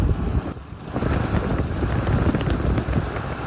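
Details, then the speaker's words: 1993 Lexus LS 400 V8 idling after DIY ignition tune-up: pressing the cover over the cam sprocket area causes electrical arcing ticks, stumbling and near-stalling misfire; intermittent short, source unknown. "you can hear when this goes down there's there's there's a definitive electrical arcing set that occurs this is causing yeah you hear that ticking that electrical ticking that happens when you push this down the engine starts to die"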